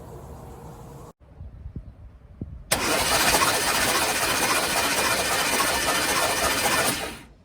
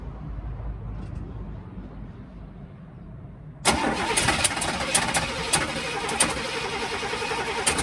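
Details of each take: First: 1971 Cadillac Coupe de Ville, sat 15 years in a backyard, cranking on a new starter with spark plugs out and WD-40 and lubricant in the cylinders: fast, even whirring with no compression pulses, flushing lubricant and rust off the cylinder walls. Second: 1971 Cadillac Coupe de Ville sat 15 years in a backyard, first start attempt with starter fluid and gas poured in: quiet cranking then uneven sputters and pops, wanting to catch but not idling; hard start.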